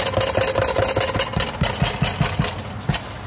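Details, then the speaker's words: 2011 Chevrolet Equinox, 120,000 miles, running engine after another shop's work: uneven plastic rattling, two to three taps a second, from air intake box assembly with its bracket left loose. "air intake box assembly just rattling the away"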